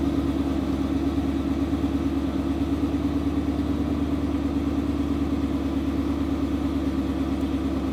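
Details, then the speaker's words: Car's first start after a tune loaded for E85: smooth, even idle with a steady low pulse, no knocks or misses, held a few minutes while air-fuel ratios adjust and E85 mixes with remaining 91 fuel. "even idle for a few minutes afr's are adjusting right now"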